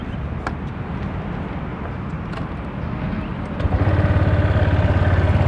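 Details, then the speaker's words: Honda Vario 150 scooter, engine and CVT sound check during used-bike review: steady, even idle putter firming slightly as throttle is blipped, no knocks or rattles; engine smooth. Normal idle. "Nah, untuk mesin dan CVT bisa dicek suaranya."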